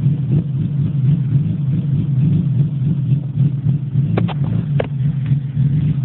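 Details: BMW E30 320i: steady low engine rumble with an uneven, stumbling beat around three to four pulses a second; one cylinder dropping out, bad engine misfire.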